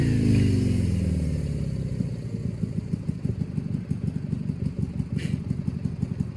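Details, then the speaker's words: Power King 2417 lawn tractor revived after starter replacement, fuel filter, kill switch wire disconnected and water flushed from transmission; steady thump after brief rev, even firing with chassis clatter; normal running. "so yeah so yeah I'm pretty fired up that I got it running"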